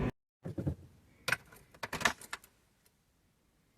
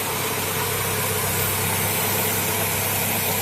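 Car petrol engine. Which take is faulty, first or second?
second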